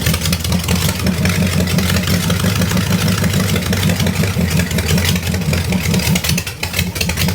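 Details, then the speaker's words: Buick Nailhead V8 vintage rail dragster with open pipes, after carburetor change and tuning, running on front two barrels: very loud deep even lumpy idle, no misses or knocks; idles healthily, now getting full fuel. "holy sholey that's loud holy shimley that's loud damn bro that's uh that's all we need that's good"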